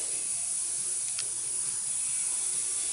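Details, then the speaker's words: Troy-Bilt Horse riding lawnmower tire punctured by a piece of wire, engine off: constant sharp hiss of air escaping through the cleaned hole before plugging with a tire plug kit. "of course now we can really tell where the hole is at as we can hear it hissing"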